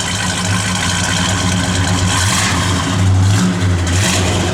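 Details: 1968 Plymouth Road Runner, 383 ci/335 hp V8 with Edelbrock 4-bbl, new dual exhaust, 727 automatic, 10 miles since restoration: deep, even V8 burble with a slight rev lift partway through, no knocks; normal idle, though a drive belt may squeak.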